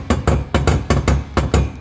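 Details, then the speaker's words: Can-Am X3 front driveline clunk persisting after all three axles were changed: driveshaft rocked by hand gives sharp metallic clunks in quick pairs from a failed, loose aftermarket Sandcraft carrier bearing. "so here's my sand craft jarir bearing I had installed and let's take a look see there's our noise my sand craft carrier bearing took a shot"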